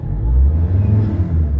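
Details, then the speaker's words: Ford Ranger 3.2 diesel with low power and vibration: rumble swells and eases with the pedal, picking up cleanly without lag; ECM and pedal sensor judged in good condition; healthy throttle response. "O galit na yung makina into 1,000. No, pag inaRPM mo, inaRPM mo yung pedal, nagre-response agad yung engine."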